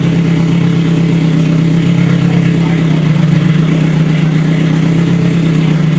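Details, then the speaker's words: Scion FR-S with rebuilt Toyota 3SGE engine swap, first start after install, leaks still to sort: steady, even low hum rising smoothly when revved; engine running after first start. "I'll figure out leagues now at least you know the engine works and it's funny right yeah"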